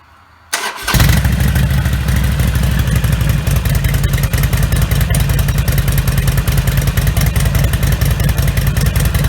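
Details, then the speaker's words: Harley Sportster-family V-twin (Nightster/Iron) with Vance & Hines Blackout 2-into-1 exhaust, after fitting V&H quiet baffle insert; start-up and loping idle with revs, meter peak 83 dB; baffle changes only about 1–3 dB. "So it did hit 83 there, but I did go a little higher on that second rev. So I would have to say that if it makes a difference, which is a very minimal one, we're probably talking in the 1 to 3 decibel range overall."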